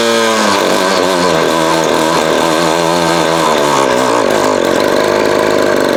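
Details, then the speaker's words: Vintage Craftsman 22.2cc 14-inch two-stroke string trimmer, estimated early-to-mid 1980s, original spark plug and fuel filter, fuel line replaced and carb cleaned; catches after a pull, settles into steady even high buzz, no misses; running well. "This thing is a freaking classic, man. And still runs like a champ. They definitely don't make them like this anymore."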